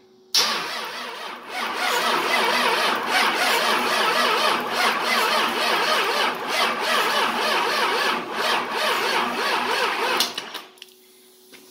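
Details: 24V Cummins diesel, standalone hot-wired ECM/PCM, first start on frame: lift pump heard first, then starter churns steadily about three and a half beats a second for ten seconds, never fires.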